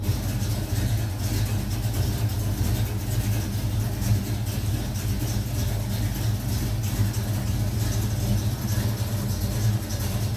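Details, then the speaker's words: 1970 Mach 1 clone V8, cold, after rebuilding the gaskets on its Holley 600 carburettor. Deep, steady idle rumble with even firing and no misses, knocks or leaks; sounds good. "all right give it a crank so sounds good it's just a little cold so we'll get this running right and then i'll turn the camera back on"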